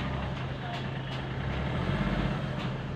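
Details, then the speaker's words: Chevrolet Beat diesel, after ECU/ECM connectors refitted for a no-acceleration fault: pulls up cleanly and evenly under throttle with no knocks; idle now below 1000 rpm, no MIL lamp, no extra sound; normal acceleration. "ये accelerate हो रही है, एकदम normal चल रही है, कोई भी इशू नहीं आ रहा है।"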